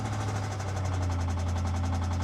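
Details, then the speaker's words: 2015 BMW 650i, about 127,000 miles, on cold start at idle: fast even metallic rattle, about a dozen ticks a second, over deep hum, later quitting; suspected loose timing chain, not confirmed. "uh-oh that does not sound good at all yeah that that is why I think she's here"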